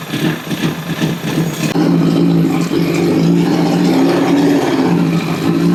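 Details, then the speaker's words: 2006 CBR1000RR four-cylinder with 22,995 mi, idling during a head-gasket test. Steady, even idle with no knocks or ticks. Test passed, no blown head gasket; engine sounds healthy. "Now that motor sounds really good. Uh I didn't hear anything crazy going on with it."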